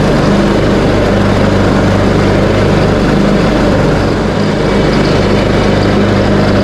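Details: Craftsman T130 riding mower after fuse and ignition switch panel repairs, mowing end-of-season grass with deck set high: steady, even low drone with no knocks, misses or surging, running smoothly under cutting load.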